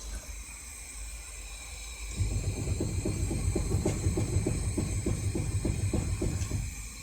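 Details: Nissan Qashqai (2010+), passenger-side front wheel on and pushed side to side: quick dull clunking, about 3.5 knocks a second, from a worn outer tie rod end bushing; none when rocked up and down.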